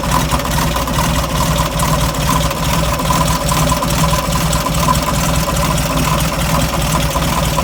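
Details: Air-cooled VW Beetle engine, about 1.5 years old with about 8,000 miles, at cold idle: light, fairly regular knock around two a second. It was first feared to be a rod but was traced to the fan or alternator.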